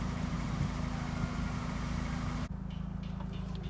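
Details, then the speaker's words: 2005–2006 Toyota Corolla XRS, fully warmed after the fix for the P0505 stuck-pedal/idle problem: steady low rumble at an even idle of about 900 rpm, with no misses or knocks. Normal warm idle. "warmed up it's actually idling really well right now"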